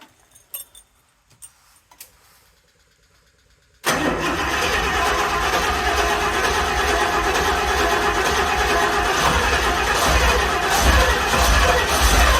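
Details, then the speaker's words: 1974 Rolls-Royce Silver Shadow V8, carburetors and points ignition, first start after no-start troubleshooting with fuel pouring from the fuel system; quiet clicks, then catches and settles to a steady, even idle without knocks or misses; normal idle. "engine ha nice it actually sounds very good and that thing is [Music] pouring boring okay yeah fuel is pouring down there but the engine runs and it actually sounds really smooth I mean relatively speaking for an old engine it does sound very smooth"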